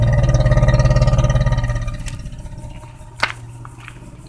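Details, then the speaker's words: Geo Metro with replacement 1994 engine, about 208,000 miles, at idle: rapid, even knocking about three and a half per second, fading as the engine winds down; engine knock and hiss, owner places it at the number one cylinder. "it's starting to hiss and knock i don't know if you guys can hear that knock another from the number one cylinder"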